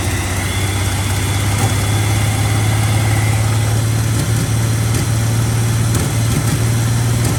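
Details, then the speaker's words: 1979 Chevy C-10 inline six, revived after 8 years sitting, idling: the drone dips about every second as a cylinder drops in and out, close to stalling; owner suspects a fouled spark plug. "It seems to have a cylinder that's coming in and out, so I imagine that there's a fouled out spark plug in there somewhere. Yeah, hear that? Just like plump, plump, plump, comes in and out, and it's getting ready to die right now."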